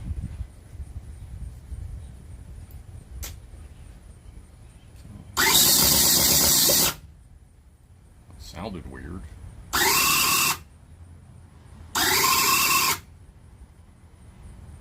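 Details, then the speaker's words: Cison V8 model engine kit on a low, low-capacity battery: harsh starter whirs in three short bursts with no catch; cranks but won't fire, owner suspects it is flooding. "now it sounds like it's swimming. That's probably flooding out."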